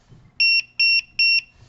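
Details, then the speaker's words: QR code reader module settings demo: three clean high-pitched beeps, each about a fifth of a second and evenly spaced, confirming a settings code was read; normal confirmation beeps. "Okay, I can turn that off again by just using the code on the other side. If someone is disturbed by that little beep."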